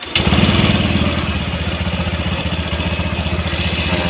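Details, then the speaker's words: Honda Vario 150 scooter, warm at 80°C after throttle body cleaning, idle set to 1600 rpm per AFR and fuel trim; steady, even single-cylinder idle, a touch fast but smooth, no misses or knocks; normal idle. "sini RPM saya ee melakukan penyetelan di RPM itu di 1600 ee kedengarannya cukup tinggi tapi ini itu berdasarkan penyesuaian daripada ee afr dan full tram dari nilai altitude"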